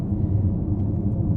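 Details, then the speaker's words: Porsche Macan driving home just collected from the dealer after service work including new front and rear brake pads: low even rumble, no tapping or ticking; the noise the dealer attributed to direct injection is completely gone, engine smooth. "the noise uh that the uh JMC Stratford said was direct injection that noise is now completely gone so that idea that there was some sort of noise coming from the direct injection it certainly wasn't the noise that I could hear"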